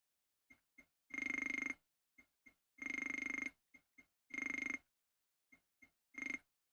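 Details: Atari 520ST with no mouse: quick tonal clicks, then a longer buzzing ring about every 1.5 seconds, the keyboard error sound, like an old rotary phone dialing, for arrow keys pressed without holding Alt.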